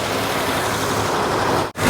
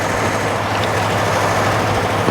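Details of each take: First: 1949 Ford flathead, abandoned in the desert since 1977 and freed from seizure by towing in gear: even, smooth engine note holding steady with no misses or knocks; runs cleanly. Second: 1949 Ford flathead, abandoned in the desert since 1977 and freed from being locked up: steady, quick idle with an even beat and no dip or hunt; idle is set too high and needs turning down.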